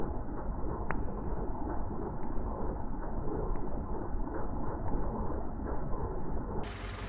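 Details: WW2 Willys jeep engine at idle during carburettor mixture tuning with a Colortune plug showing mostly blue flame: steady low, even idle with a soft regular beat and no misses or pops; runs smoothly, mixture sounds right.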